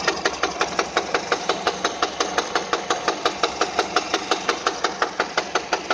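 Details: Peugeot 207 engine at idle: sharp even metallic knock about three times a second in time with the engine; clear internal engine knock.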